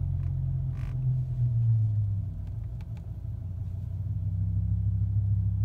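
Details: BMW M5 E60 after a minute of idling and slow driving forward then back: low idle hum sags and wavers, nearly stalling before recovering; unstable idle, idle actuator suspected, not confirmed.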